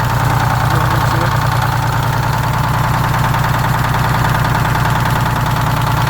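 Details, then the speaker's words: GM PD4104 coach with Detroit 6-71 diesel, started manually with the starter at the rear after sitting for years: steady, even low idle with a regular beat and no knocks or misses; running healthily. "the old girl sounds good fortunately i got that old school starter so it's easy to start from back here"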